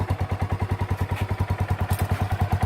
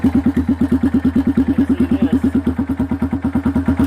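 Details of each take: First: Kawasaki Bayou single-cylinder ATV right after fitting a used Kawasaki 300 muffler in place of the rotten one, with debris blowing out at first: an even, clean idle thump at about nine beats a second with no misses or rattles. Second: Kawasaki Bayou single-cylinder ATV before the muffler swap: loud, raw popping at about three beats a second with a hollow, unmuffled bark, getting louder over time. The muffler is rotted and leaking; it will be replaced with a used Kawasaki 300 muffler.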